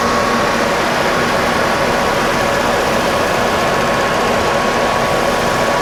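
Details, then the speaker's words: VW Eurovan Winnebago camper, about 56,000 miles, hood open: steady, even engine hum with no knocks or misses, smooth and consistent, judged to idle smoothly, normal idle. "not a whole lot to report here everything looks the way it's supposed to sound good idling smooth all good stuff"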